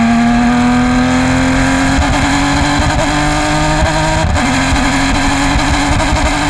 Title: Race 1 - Bad Misfire - 2020 PCA TRAC Road America